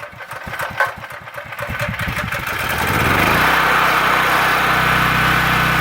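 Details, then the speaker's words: Honda engine on a backup generator left unused for possibly a couple of years, refuelled with fresh gas and stabiliser, started unchoked: a few pull-rope chuffs, then it fires on one pull and settles into a smooth, even idle; normal start and idle. "there you go there a Honda engine you can see what it is good deal okay that was it"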